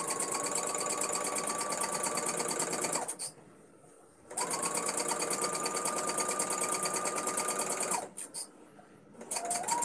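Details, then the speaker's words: Domestic sewing machine during free-motion quilting: steady fast stitching, about three per second, with a thin high squeal over it, sounding dry. Owner is unsure of the cause and wonders if it needs oil; quite squeaky. "Does that need oil? I don't know why it sounds like this. It definitely needs something, because it sounds like I never use it. Quite squeaky."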